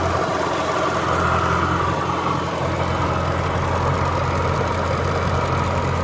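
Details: Jaguar S-Type R V8 at idle: steady engine hum with a light, regular tapping riding over it; engine tapping at idle.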